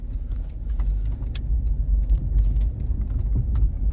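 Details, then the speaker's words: Nissan Pathfinder in 4WD on powdery snow with a front Lokka auto locker, during a U-turn: irregular light clicks over a low rumble as the locker ratchets and unlocks; normal differential action. "so i can i think i can hear yeah i can hear the lock of clicking so right there with the locker clicking that means it's using it's doing its differential action"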